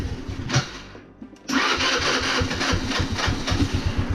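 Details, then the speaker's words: Baotian 125 scooter just fitted with a new carburetor and new intake manifold, cold. It starts after a short pause and settles into a quick, fairly even idle that no longer stalls, though it may still need adjusting: a normal cold start and idle. "Il démarre au ralenti. Peut-être un réglage, hein, mais bon. Pour l'instant il est froid. Et déjà il cale plus du tout."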